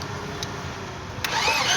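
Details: Toyota 2AZ engine after a top-end fix for a knocking noise. It picks up cleanly from idle into a smooth rev with no tapping from the top end; valvetrain quiet and healthy.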